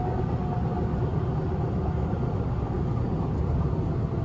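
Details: Inside a moving, nearly empty 1991 S-Bahn Berlin BR485 electric railcar 485 112-7 on the S8, Schönfließ–Hohen Neuendorf: heavy low rumble and rattling caused by a severe flat spot on a wheel, worse than normal.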